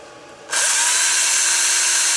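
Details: Makita 9.6 V drill powered from a DPS5015 programmable buck converter set around 11 V: spins up sharply to a steady, even high whine with no stutter or bogging. Normal running.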